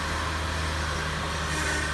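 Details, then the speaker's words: 2006 Lexus RX330 after high-pressure power steering hose replacement, first start; steady, even low idle hum with no knocks, squeals or groans while the steering wheel is turned: engine and steering sound healthy. "so let's fire her up and let's make sure I don't have a check engine light or anything before I go any further and she appears to be running right"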